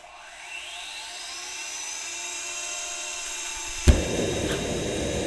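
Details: JetCat RC jet turbine after repair of starter clutch, worn bearings and deformed NGV causing blade rub: auto-start now completes normally, smooth starter whine, soft light-off pop, even roar; idle combustion temperature held under 500 °C.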